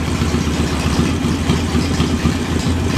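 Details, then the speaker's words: Small engine with newly installed JS flatside carb: idle mixture screw opened too far runs rich, giving an uneven, lumpy rough idle that starts to smooth out; set back to about a quarter turn it smooths. "rough open it up on eight turn and here it's starting to smooth out"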